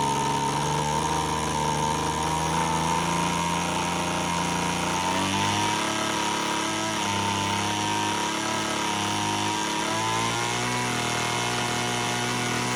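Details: Homelite HT17 two-stroke hedge trimmer after its carb adjustment screws were seated and backed out 3 turns: high buzzing idle wanders up and down and won't stay idling, so the idle still needs tuning.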